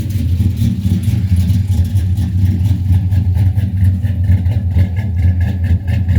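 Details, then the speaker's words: Cammed Chevrolet Silverado LS with FAST intake, Wilkes ported heads, 1000cc injectors and long-tube headers, first start after the top-end upgrade: a deep V8 idle with an uneven stumbling beat. One cylinder is dead with a fuel smell, and a non-firing injector is suspected. "you can hear the mess in it I know it's kind of loud I smell the fuel got a dead Miss got an injector that's not firing at all"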